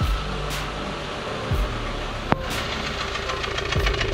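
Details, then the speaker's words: Dacia Sandero 1.4 MPI (LPG) misfiring on damp mornings, usually clearing after 2–3 km. With water sprayed on the ignition coil, the idle stumbles with irregular thumps and runs on three cylinders. Defective ignition coil, later replaced. "als für mich ganz klar die zündspule aber sobald man wasser zündspule spielt ja fängt das auto an auf drei zylindern zu laufen"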